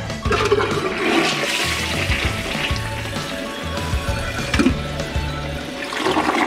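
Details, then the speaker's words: Toilet that wouldn't flush properly though not clogged, after the fix: strong rushing flush with swirling water drains fully and refills; clean vigorous flow, now flushing properly. "i'm pretty excited and i have to say it really worked and as you can see guys it's flashing so well"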